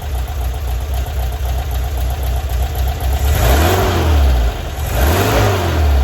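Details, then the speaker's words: 1978 VW Bus 2.0L flat-four after renewal, converted from fuel injection to carburetor with new carb kit, timing set, choke on, valves checked; steady even idle then two clean throttle blips rising and falling smoothly, no misses or knocks; normal revving. "Valves have been checked. They're running pretty good. Sounds good. Awesome."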